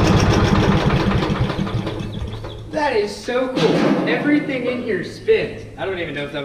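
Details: Briggs & Stratton 531cc engine on Lincoln Weldanpower welder, sitting untouched for decades, rusty tank, run on starting fluid: rough uneven firing for a couple of seconds, then dies; catches but won't keep running.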